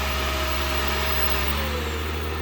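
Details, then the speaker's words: Shark PowerDetect upright vacuum (2024) in detect mode: steady motor hum whose high tone slides down as the motor eases off its automatic boost, with an LED showing boost; normal automatic power change. "and now it ramped back down. And it's got this kind of LED right there, so again, it tells you when it's boosted."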